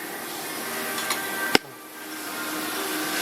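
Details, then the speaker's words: JF 330 grinding wheel spindle after adjustment to cure a noise, with the pulley properly seated and locked tight; quiet, even hiss with faint steady hum and one light click, no rubbing or rattle, running smooth. "那确定这个有没有锁紧？这个比较重要，这样就没有声音了。"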